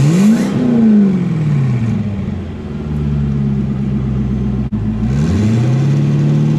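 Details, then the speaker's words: Twin-turbo C5 Corvette, engine stock except turbos, after turbo upgrade: clean rev blips, pitch sweeping up and settling back to smooth idle, no knock or rattle; healthy, no leaks. "Set you down over here and give it a little rev."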